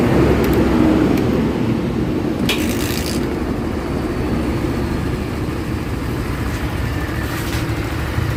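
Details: Barako single-cylinder that was hard to start in the morning, running after the spring adjustment fix. It starts on one kick and thumps at a steady, even idle with no misses or knocks over street noise.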